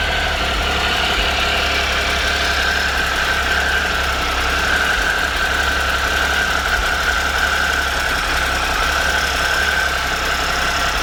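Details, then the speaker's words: 2013 Triumph Tiger Explorer, 34,000 km, after replacing cam chain, hydraulic cam chain tensioner and exhaust header gaskets: three-cylinder engine idles steadily with only a light, even valvetrain tick, much quieter than before; cylinder head ruled out. "so right now the engine is very less noisy and it doesn't make any like excessive ticking noise after this this"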